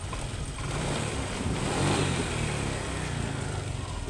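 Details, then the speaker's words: Honda Click125 scooter with a faulty throttle body sensor, possibly the air sensor: revs swell slowly then sag with a muffled stumbling bog and won't accelerate; unplugging the sensor restores acceleration and clears the warning light; replacement planned. "บูบๆๆๆเร่งไม่ค่อยขึ้นวิ่งไม่ได้เลย"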